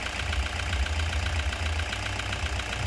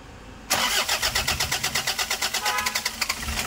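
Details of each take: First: Toyota Hiace 2KD diesel after repair, which fixed its power loss, shaking and hard starting with no DTCs; now starts easily and idles with even, steady clatter and normal diesel vibration, no misses or stumbles. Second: Toyota Hiace 2KD diesel: about 2.5 seconds of rhythmic cranking before it catches, then an uneven, shaking idle. The engine lacks power and dies when the throttle is released. Hard starting.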